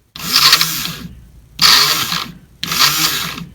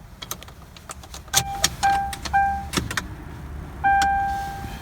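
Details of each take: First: Fuel pump removed from 2003 Ford Crown Victoria that would not spin up in cold weather, bench-run: three short runs of harsh high scraping whir trailing off; pump motor worn out, replaced. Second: 2003 Crown Victoria with a cold-weather no-start after a replacement fuel pump motor, key on in freezing weather: a steady mid-pitched hum comes twice for about a second each. The fuel pump primes normally, resolving the no-start.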